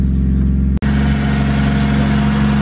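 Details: Nissan R34 Skyline after repair, warming up: steady, even engine note with smooth low hum and no misses, knocks or ticks; running cleanly.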